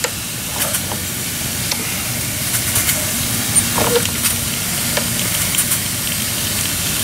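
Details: 7-1/2 gauge Clishay live steam logging locomotive, owned seven years, first run in a year, boiler hot, moving forward and reverse: steady steam hiss with soft, even exhaust puffs, no knocks or clanks; normal running under steam.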